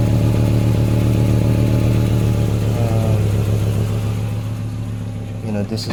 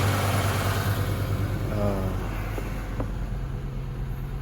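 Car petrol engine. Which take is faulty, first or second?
first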